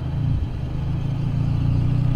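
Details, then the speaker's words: Mitsubishi Evo X after AMS fuel rail install: idle dips, surges and flickers as if about to stall; cause found to be missing intake shield, AC airflow upsetting MAF sensor; rough hunting idle. "it feels like it's about to stall yep you hear that so it's it's about to stall so i don't know what's the issue there so it goes up high a little bit and then start flickering and then stall out"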